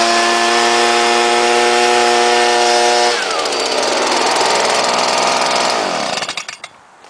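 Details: Leaf blower rated 140 mph, started after priming, buzzes at a clean, steady pitch, then drops and winds down smoothly to a stop; it starts and runs well.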